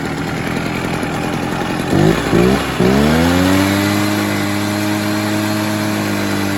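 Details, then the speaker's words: About 25-year-old Echo PB-403T backpack blower after new air filter, choke off: sputters through stumbling bursts, then settles to a steady tone with slight burble; four-stroking from rich mixture, fuel turned down. "she was four stroking a little bit so I gave it a little less fuel"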